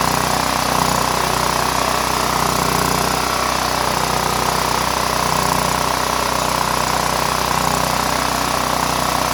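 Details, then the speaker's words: Power Mate VX generator after carburetor and fuel bowl solenoid cleaning, switch turned on, running on fuel probably about eight years old: steady, even buzz with clean whine, no hunting or stalling. "all right that's it guys better run it probably has fuel from uh eight years ago"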